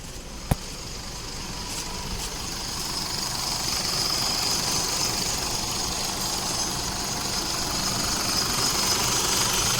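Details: Isuzu D-Max diesel at idle after AC compressor clutch replacement and refrigerant refill: even clatter with steady hiss; compressor engages smoothly, no squeal or rattle, cooling well.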